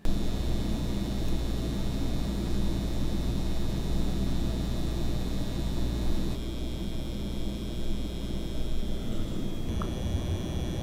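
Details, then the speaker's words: LIFX Z smart LED light strip starter kit: a loud, steady low electrical buzz with a thin high whine from the AC adapter plug, shifting in tone as the load changes; the buzz worsens as strip brightness is increased. "lastly one of the most annoying issues is that it has a really loud buzzing noise coming from the plug itself that kind of the AC adapter it's a kind of a kind of buzzing noise"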